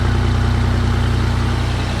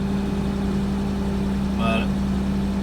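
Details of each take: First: 1989 Toyota Land Cruiser FJ62, 3FE engine, first start just after a desmog/EGR delete: steady, evenly spaced low idle pulses, no misses or hunting; owner says it feels peppier and he can now hear air moving, as if it breathes. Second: 1989 Toyota Land Cruiser FJ62, 3FE engine after desmog/EGR delete, back from a test drive: steady even hum idling noticeably high; owner expects the computer to relearn and settle, otherwise suspects another unknown issue.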